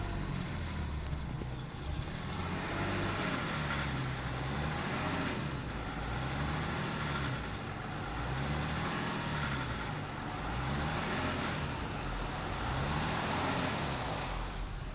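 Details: BMW E39 530d diesel revved and released repeatedly; light metallic rattle on each throttle let-off, also present when driving; timing chain suspected but unconfirmed.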